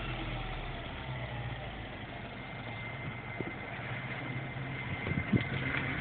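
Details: MINI Cooper S with under 2,000 miles at idle: steady high-pitched whine above the low engine hum, cause unknown.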